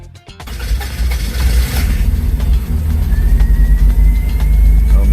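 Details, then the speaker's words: 1987 Toyota MR2 AW11 4AGE, years neglected, just after rebuilding the oil-leaking distributor seals: the engine catches but the idle beat is erratic and lumpy and it idles only about 2 seconds; timing suspected off, not confirmed. "It ran a little better, but the heartbeat was erratic. So, we're pretty sure that the timing is off. It idled for like 2 seconds."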